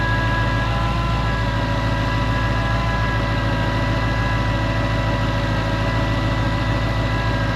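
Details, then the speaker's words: 2012 Ford Mustang GT 5.0 with "Check Charging System" warning, engine bay at idle: even idle with faint steady whine, no knock; belt-drive noise, suspected idle pulley, tensioner or alternator, later all signs point to failing alternator. "So, I don't know if it's the idle pulley, the tensioner pulley, or the alternator. So, we're going to check it out."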